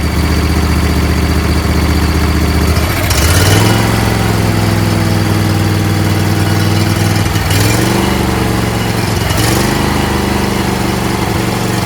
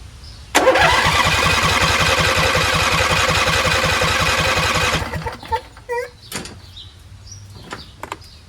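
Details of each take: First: Husqvarna YTH20F42T repowered with a Briggs 21HP V-twin, after loosening the stuck fuel solenoid: settles from a lumpy choke run, then off choke revs cleanly with each throttle blip and holds steady without stalling. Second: Husqvarna YTH20F42T lawn tractor repowered with a Briggs 21HP V-twin, choked and not started in an unknown time: steady starter cranking at about four beats a second never catches, though fuel reaches the carburetor.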